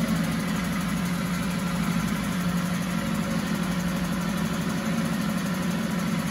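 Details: 1974 Mercury 4 hp single-cylinder two-stroke outboard in a test tank, after carburetor passages were cleaned with air: steady, even buzz with no misses or surging, constant speed; runs like a top.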